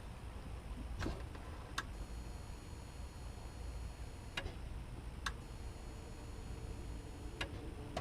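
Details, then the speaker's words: 2015 Subaru WRX STI, HID reverse light DIY: aftermarket relay clicks on and off sharply as reverse is engaged and released, confirming the relay is wired correctly and working. "that's the relay itself clicking on and off switching it uh so we do know that the relay is hooked up correctly and it is working"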